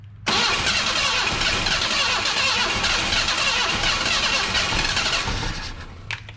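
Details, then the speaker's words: Junkyard 1977 Datsun 710 wagon, choke propped open with a screwdriver and starting fluid sprayed down the carburetor. Steady cranking with hissy, sputtering catches that never pick up. Sputters but won't start; carburetor float side suspected of not feeding fuel. "oh yeah she wants to run damn it come on screwdriver you got one job"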